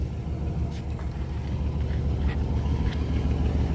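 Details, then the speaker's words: Engine with 265,000 miles, just started; brake and anti-lock lights are on (possibly front hubs). Smooth low rumble at a steady idle, with even pulses and no knocking, ticking or hunting over faint outdoor noise: the idle is good. "She runs. Idle's good. Wow. Doesn't sound bad."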